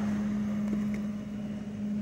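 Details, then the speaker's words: HP LaserJet Pro MFP 428FDW printer just powered on: low, even hum with faint mechanical ticks as it warms up before initializing; normal warm-up noise. "Let's turn on the power first. You can hear the printer, it's warming up."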